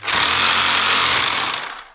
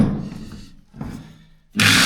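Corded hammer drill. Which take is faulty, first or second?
second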